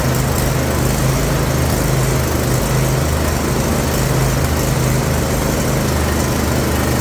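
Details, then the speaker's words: Craftsman YT4000 riding mower, about 10 years old, idle 4 years, running after sanding and regapping plugs and sanding rusted flywheel; single-cylinder buzz at constant speed, no sputtering or dropouts, smooth and steady. "but I got it to run and uh resetting sanding these off sanding these down resetting the gap and again sanding down the flywheel perfect"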